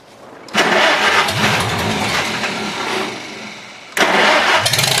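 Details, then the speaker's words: Farmall H four-cylinder tractor starting in cold, windy weather after its cables were cleaned; it leaks some gas. Two abrupt catches, then an uneven, stumbling idle that surges and sags, not yet firing on all four. Owner expects to clean it again. Rough-running misfire. "Once she gets running on all four, it usually goes. Just got to get it to run on all four."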